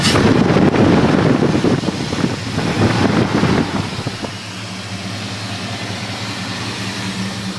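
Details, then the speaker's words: 2001 Dodge Durango SLT 4.7L V8 4x4, jump-started after weak battery, aftermarket eBay intake, Flowmaster 40 single-in/single-out with MagnaFlow cat; rough start-up roar settling into steady even burble at idle, sounds pretty good; normal idle. "it sounds pretty good bring it around to the exhaust this is a flow master 40 series uh single in single out along with the Magna Flow catalytic converter"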